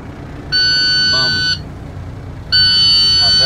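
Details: 2010 International Prostar, automatic transmission, engine running: two long shrill one-second beeps a second apart as drive is selected with the brake pedal pressed. Gear is refused. Suspected faulty brake pressure switch not sending its signal.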